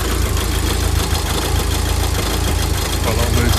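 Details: Mk5 VW Golf GTI, Cat N, misfire on cylinder 3, garage suspected split piston or ring, no engine light yet: warm idle loud and lumpy with uneven low thumping; rough idle, injector suspected, not confirmed.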